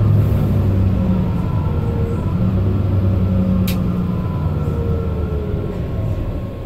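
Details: Mercedes-Benz Citaro O530 LE bus, OM457hla 12 L 299 hp diesel, ZF Ecolife 6AP1700B automatic, heard from inside while moving: heavy diesel rumble with a thin steady whine; automatic gearbox whine, the only noisy Ecolife in the fleet.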